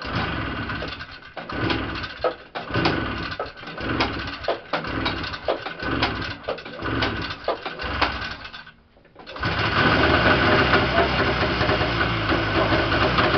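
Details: Yamaha Enticer 340 two-stroke, first start after rebuild (new Wiseco pistons and bearings, Hot Rods rods, custom forged balanced crank, Uni filter): choppy, uneven putter with throttle blips, then steady raspy run; fresh engine idling and revving cleanly, very smoky.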